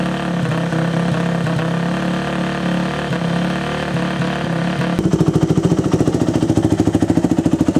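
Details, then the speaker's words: Yamaha YZ426F single-cylinder four-stroke dirt bike, bought not running, first run after reinstalling the carburetor needle seat with a thicker O-ring; catches and settles into a quick, even thump; running properly. "So, there's some evidence that it actually runs."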